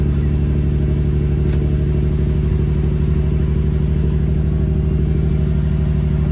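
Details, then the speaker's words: Ford Barra engine with about 186,000 on it, not cammed, before intake gasket replacement: rough, lumpy exhaust pulse at a high idle near 2000 rpm; cause not yet pinned down. "just running really really sort of rough and you'll be able to hear from the exhaust but the car is not cammed and it sounds like this. We've got a very high idle. You've got a high idle at nearly 2k."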